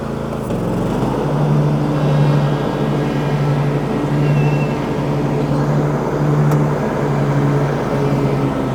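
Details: Husqvarna 2242TDRF ride-on mower after reassembly, started to check the transmission: smooth, steady drone with an even low hum, no knocks or slipping; sounds healthy.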